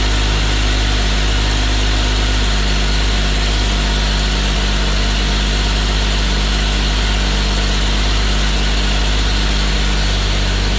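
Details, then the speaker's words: 1950 Chevy Styleline that sat over five years, started after adding gas: a deep, steady, even low rumble like an old John Deere, with no knocks or misses. Normal idle. "Sounds like an old John Deere."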